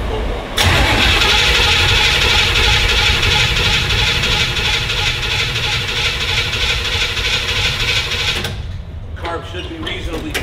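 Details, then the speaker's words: 64 Impala just out of storage, fresh battery: about eight seconds of steady cranking at roughly three strokes a second without catching; hard start because choke doesn't work, needs pumps and fuel in intake, then starts. "now there is no working choke so you have to crank it a lot you know full bowl give it some pumps throw a little bit of fuel into the intake"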